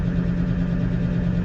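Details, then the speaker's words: GAZ-66 truck after recommissioning from winter and air tank repair: low, even idle rumble with no hiss or leaks heard as air pressure builds to 6.5 bar, the blowoff pressure; normal idle. "So, idling away. It's up to 6 and 1/2 bar,"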